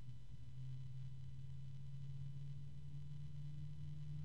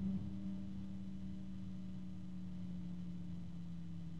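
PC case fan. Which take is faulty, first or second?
first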